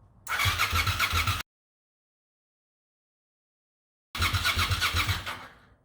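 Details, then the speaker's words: 1998 Suzuki TL1000R after sitting 15 years, new battery, wiring fixed, fuel pump priming: two short bursts of cranking about four beats a second, never catching; has spark (carb cleaner gave pops) but fuel injectors weren't squirting fuel. "Clearly has spark. Not convinced it has fuel. So thinking about it, found the problem. Fuel injectors weren't squirting fuel at all."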